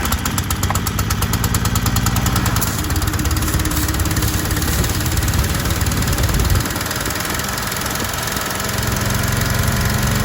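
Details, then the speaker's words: Troy-Bilt 2700 PSI gas pressure washer with auto choke, tested with water on after a pump head swap and only a red tip fitted: small engine chugs hard, then bogs and stalls under load; unloader misadjusted and needed adjusting at its jam nut. "So you could hear it stall ou"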